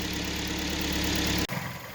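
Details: Kia Sportage 3, 2012, 175,000 km, just after engine repair, started hard then warming up; even, steady idle with no knocking or ticking for about a second and a half before cutting off; normal idle.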